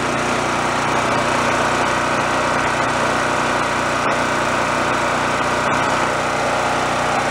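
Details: Roadside-found Chinese knockoff mid-size generator after repair, warming up before checking and tweaking the frequency. Steady, high-pitched drone holding an even speed with no misses, surges or knocking: normal running.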